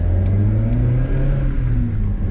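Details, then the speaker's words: NB2 Mazda Miata accelerating to 4,000 RPM: steady, even engine drone pulling through the revs under load, smooth with no knocks or flat spots; normal, healthy acceleration. "Here's your engine noise again. That was 4,000 RPM."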